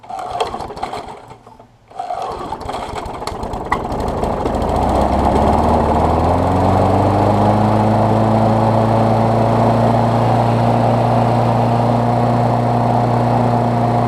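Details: Briggs Classic push mower engine moved onto a Bolens deck, fresh gas and 16 oz oil, temporary throttle setup: after a few cranks it catches, climbs smoothly to a steady even drone with no stumbling; runs healthy.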